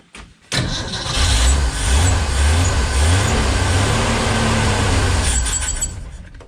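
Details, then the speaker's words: 1965 Ford Econoline van stored since 2011: steady, uneven cranking for several seconds with no firing after the float bowl ran dry, no fuel coming through the filter from the pump; fuel starvation, no fuel delivery. "I ran off the bowl but there's no fuel coming through the filter it stinks foreign all right see if we can pick up some fuel from the pump"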